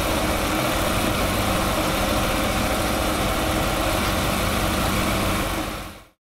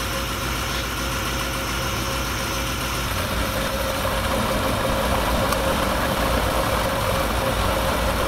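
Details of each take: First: Ferrari 308 idling fast (about 1500 rpm spec, probably a bit too high) suddenly gives a loud steady steam hiss, then cuts off; overheating boil-over. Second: Ferrari 308 with carburetors still awaiting balancing, testing radiator fans after cleaning dirty fan-switch contacts: steady, even idle with smooth low exhaust beat, no misses or knocks; healthy settled idle.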